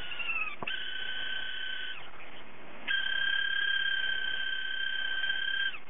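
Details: Hard disk drive with a failing spindle motor bearing that no longer spins properly: high two-note squeal comes and goes in long wavering bursts, like a cat meowing.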